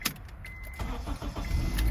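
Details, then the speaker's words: 2008 Honda CR-V after ignition switch replacement, which caused dash buzzing and no-start: brief crank, catches at once and settles to steady low idle; clean healthy start. "let's try this make sure it works wow it start to right it up"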